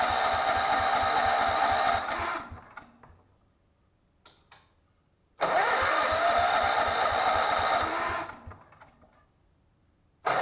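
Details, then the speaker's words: Miller Bluestar welder, sat unused 5 years, being revived: two bursts of even cranking that never catch. Crank, no start; the carburetor isn't picking up fuel and needs cleaning. "trying to clean the carburetor I don't see it pick it up any fuel"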